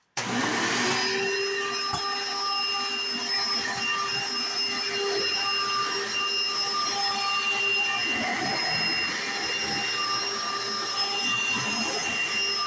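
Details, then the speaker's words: 1995 Hoover Encore Supreme U4261-930 upright vacuum, higher-pitched motor, used about five years then stored; steady even high-pitched motor whine after switch-on, no grinding or rattle; one part makes a loud noise at turn-on, not serious; normal running. "it looks great sounds perfect and another one thing is this one this part right here makes a very loud noise when you turn it on but it's not nothing too big so here we go"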